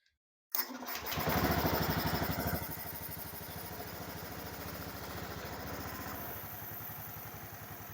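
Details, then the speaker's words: Engine first start after piston and cylinder reassembly, timing set, exhaust fitted, injector and ECU normal; fires at once, revs high for a couple of seconds, then drops to a steady, even idle, normal. "Saat dihidupkan pertama itu seperti putaran gede dulu ya. Jadi putaran besar dulu, kemudian langsam. Ya sudah normal ya."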